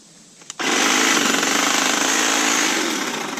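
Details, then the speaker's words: Kobalt 40V Max cordless hedge trimmer, rated for 3/4-inch cuts and getting worse with use, cutting a small tree limb. Loud buzzing with a rough thump about four times a second as it loads up, barely cutting through: bogging under load. "like, it starts thumping and banging real hard and will not hardly cut through it."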